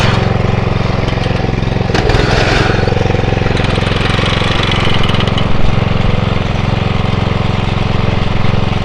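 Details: Atco Royale B24E cylinder mower engine, before carb clean: uneven pulsing, speed surging and sagging over several seconds under load; hunting from a dirty carburettor.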